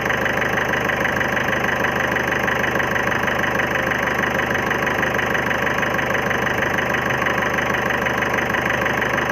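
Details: 2011 Ford Figo diesel at idle: a sharp, regular knock about three times a second with an uneven beat, pointing to knocking and a misfire. The cause is unconfirmed; an injector service was considered.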